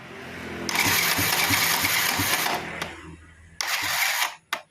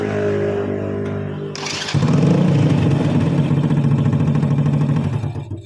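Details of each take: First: Honda Supra Fit motorcycle with battery at about 14 V and normal starter switch/bendix: slow, labored cranking at roughly three chugs a second in two short bursts; weak starter motor from worn-out brushes and a loose magnet. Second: Honda Supra Fit motorcycle after starter motor repair (worn brushes replaced, loose magnet fixed, shim added to stop rotor rubbing): brief clean starter whirr, engine catches at once without throttle and settles into an even putter.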